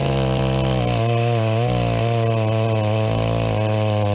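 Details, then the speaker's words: Chainsaw with brand new skip-tooth chain, rakers mostly unfiled; buzz wavers up and down every half second instead of holding steady; rough, uneven running, cause not confirmed. "that sounds terrible"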